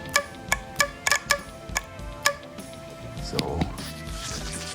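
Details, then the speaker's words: BMW E30 with M10 engine: sharp, crisp clicks as a fuel valve is energized by hand with wires, so the idle control valve opens and closes and is not stuck; working. "Oh, yeah, another thing, the idle control valve is not [music] stuck closed nor open. I just connected the wires here, and I'm able to hear a clicking noise."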